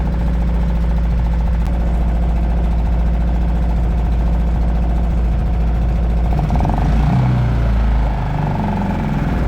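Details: Suzuki DF 2.5 HP four-stroke outboard, run on a cooling-water bucket with oil at the sight glass's lower limit; steady, even low putter at idle, slightly rougher late on but nothing abnormal, runs healthy.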